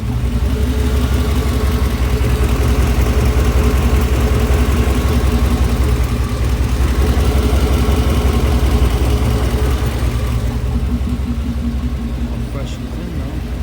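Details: OBS truck engine at steady low idle with a light, fairly even lifter tick on top, noticed after engine shop work; it had to go back to the shop for adjustments.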